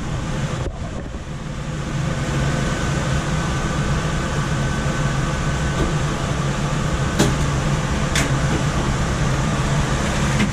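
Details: Coleman DGAX056BDTA manufactured-home furnace, constant-torque ECM blower with 24-volt taps set to high: loud constant rushing air over steady low motor hum, no knocks or scraping when main blower runs; excessive blower noise from high speed tap, fix is lowering the speed.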